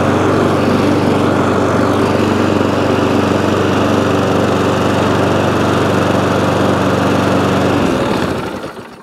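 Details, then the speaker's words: ATCO lawnmower with a cracked deck, single-cylinder engine running at a steady, even buzz, then cut off. Runs fine, but the throttle is jammed and the drive cable is worn or rusty, both needing cleaning; handle bent upwards. "a bit of cleaning going on but however it runs dead mandle works"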